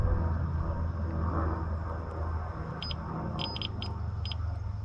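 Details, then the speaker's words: Lay-Z-Spa Bestway Airjet pump unit heater thermal cut-out tested on multimeter continuity mode: a solid, steady beep shows continuity, so the cut-out is intact. "and you can hear a solid beep that means that it's making a connection and that means that that is good"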